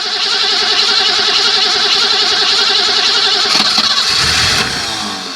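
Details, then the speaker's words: 1980 BMW 528i (E12) that sat about 8 years since 2017, on a plug-in battery charger with fuel sprayed in: fast rhythmic cranking for several seconds without catching, then it spins down; it turns over but won't fire. "And we're gonna try to spray some fuel in here, see if it'll start."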